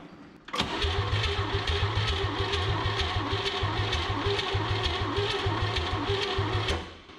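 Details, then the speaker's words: 1959 Chevrolet Biscayne with the 235 six, unrun for about 40 years, spark present, starting fluid used: a steady cranking chug at about three beats a second for six seconds, never catching. Low compression is the suspected cause. "Oh, just start already. If you're 235, you should have been running by now."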